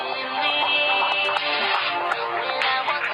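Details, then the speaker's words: Samsung Galaxy S4 hidden service menu (*#0*#) speaker test playing a random music track; volume buttons have no effect; thin but clean, steady sound without rattle, buzz or crackle; speaker working normally. "So next up we have speaker, and this plays a random music track through the speaker, the device here."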